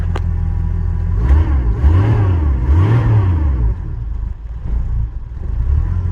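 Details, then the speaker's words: Bronco cold start at about -12° (car reads -6°), with a bad starter solenoid: revs rise and sag in slow uneven surges, and the cold engine won't hold idle. Owner suspects the choke needs more adjustment. "She won't idle though. She doesn't like to idle when it's cold. Choke probably needs some more adjustment. But it's pretty cold out, so I kind of don't blame it."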